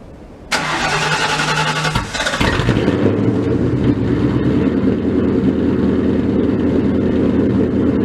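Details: Cold first start of a freshly built 302 stroker V8 Mustang: a short crank, then it catches and settles into a loud, lumpy, steady idle with a choppy cam lope; runs healthy.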